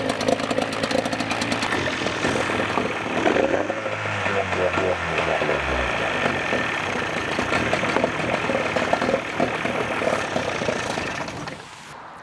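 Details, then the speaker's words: 1989 Evinrude 28 SPL outboard running on a water hose after carburetor rebuild: busy, even two-stroke buzz with a steady beat, no misses or knocks; normal running, sounds healthy. "everybody, that is going to do it for this video. We got it running."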